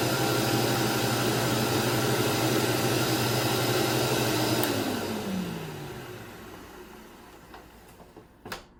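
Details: 1991 Dirt Devil Deluxe upright vacuum, model 7200, 7 amp: steady even motor hum with a high whine, then pitch falls smoothly as it switches off and spins down; healthy, fairly quiet, quieter than later 12 amp models.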